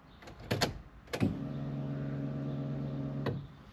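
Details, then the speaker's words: Honda Civic EK3 fuel pump after replacement: a clunk, then steady low electric hum with faint whine that vibrates and drones through the car; loud fuel pump whine. "mon bruit de la pompe je pas si vous entendez oh elle fait vibrer la bagnolemonétis quo que vu comment ça drone"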